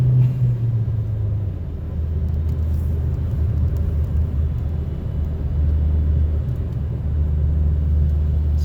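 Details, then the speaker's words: 2012 Chevy Sonic hatchback turbo with a cheap eBay cat-back exhaust, heard in-cabin on the highway at about the speed limit on cruise: deep, even low rumble with no rasp or drone; barely audible, healthy exhaust. "this is pretty much speed limit my 1773 miles an hour the exhaust is not Germany at all honestly barely hear it so I think it's good it's a success"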